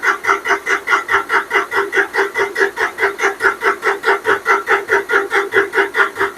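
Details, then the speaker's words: John Deere 5055D diesel tractor after fuel tank sludge cleanout and fuel line removal: even pulses about 2.5 per second with buzzing starter, never catches; air in the fuel line suspected, needs priming, battery run down. "yeah I got a little air in the line might have to prime it we run the battery down let's go ahead and get it primed"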